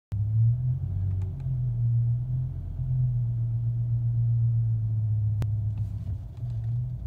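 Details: BMW M5 E60: the deep idle rumble sags and wavers, nearly stalling after a minute of idling and slow driving forward and back. The owner suspects the idle actuator.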